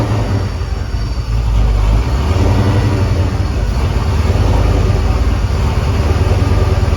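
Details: 2001 Mustang Bullitt with supercharger after replacing grooved aftermarket idler pulleys that could let the belt slip: strong steady engine rumble, smooth even pulling, no knocks, squeals or chirps; running healthy.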